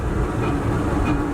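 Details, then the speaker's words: Dodge truck revived after 12 years sitting, driving at about 35, possibly in third gear: rough droning rumble with faint wavering hum; awful drivetrain noise, owner unsure if transmission or rear end, doesn't sound like rear end. "We've got an awful noise though. I don't know if that's the rear end or if that's the transmission. It doesn't sound like the rear end."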